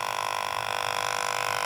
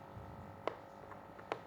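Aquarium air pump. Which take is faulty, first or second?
first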